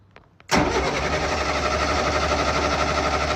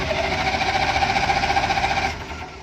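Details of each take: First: Military diesel generator that would not run: short crank, then catches and settles into steady even clatter before winding down; starts now, though original fault still unclear. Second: Non-running military generator, battery-connected for testing, turned over by starter: steady evenly spaced compression pulses, no weak beats; compression even across cylinders, so a fuel issue is suspected.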